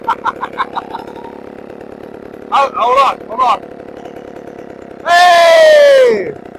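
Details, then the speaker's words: Chainsaw after a new carburetor was installed: steady, even idle pops, then two clean blips and a full rev dropping back smoothly without stalling. "we're gonna leave it running for a second we'll come back we'll see if she's still running oh baby we are in it's still going we've been running for about five minutes now"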